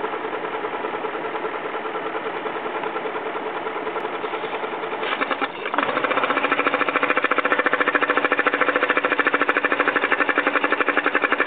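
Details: BMW X5 4.4i V8 at idle, oil filler cap removed: rapid light ticking, about two per second, growing sharper and louder partway through; valvetrain tick, cause unknown.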